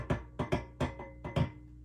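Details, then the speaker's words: Sound City L100W MKIII tube guitar amp on the bench: tapping the chassis or rubbing a knob comes through the speaker as hollow thumps with short ring; all four preamp tubes incredibly microphonic and noisy, also explaining background hum. "All of the preamp tubes are incredibly microphonic. You could hear it just rubbing on the knob there, if you'll pardon the imagery."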